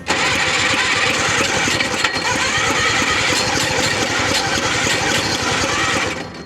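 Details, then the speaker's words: Hercules W2000 Wankel rotary motorcycle (premix) with low compression readings, jumped with the rotor heavily oiled, choke on. About six seconds of steady fast cranking that never fires. Owner suspects the seals and plans to split the cases to check them. "It ain't gonna go. Jeez, just when you think it's not gonna go. That ain't gonna go."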